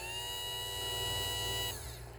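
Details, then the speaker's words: 1971 Cadillac Eldorado power window motor bench-tested after rebuild, raising and lowering: smooth, steady electric whine with constant pitch, no grinding or catching, then a clean stop; normal operation. "Okay, so that's the testing of the power motor."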